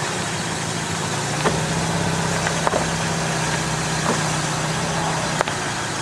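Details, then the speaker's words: Car with a failing front strut mount bearing, recorded at the front wheel in cold weather: sharp snaps about every second over a steady idle as the steering is turned, as the binding bearing makes the coil spring snap. "snapping okay [Applause] okay so what does this mean well eventually what's going to happen if that bearing seizes long enough you keep turning like this that spring is going to snap off"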